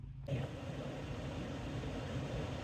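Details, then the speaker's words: Prius blower fan motor just replaced; vehicle and air turned on to test. Fan spins up quickly to a steady, even whoosh with strong airflow and no clicking, rubbing or wobble: normal blower operation after repair. "I don't know if you guys can hear it but man it's coming out nice really nice"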